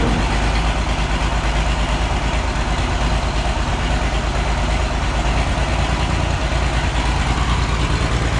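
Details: Oliver 1650 tractor diesel, first start after sitting at least 3 years, fluids checked, new battery; heavy, lumpy, uneven clatter with missing beats and lots of smoke, not firing on all six cylinders, needs at least injector work.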